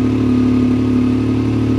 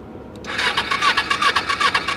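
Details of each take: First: Salvage-auction vehicle started in neutral with the brake on: steady, even idle with a constant hum and no knocks, misses or rattles. Sounds good, a normal healthy idle. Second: Small salvage Ninja motorcycle at a Copart yard, battery has power: two bursts of fast even starter whirring about 2.5 turns a second with a pause between, never catches; cranks but won't start.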